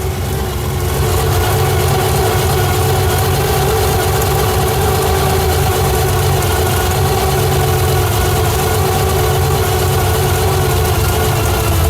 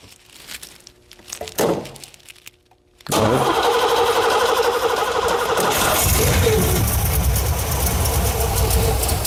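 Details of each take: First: 1987 Pontiac Firebird with swapped 350 bored .040 over, Lunati cam, 202 heads, Holley 650 carb, noisy timing gears, heard from rear with quiet exhaust: steady deep idle with slight cam lope, no misses; normal cammed idle. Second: 1987 Firebird with freshly swapped cammed 350 (bored .040 over, Lunati cam, Holley 650 carb), headers oil-soaked: starter churns steadily about three pulses a second with rough surges but never catches; fuel pressure and return seem insufficient, cause not confirmed.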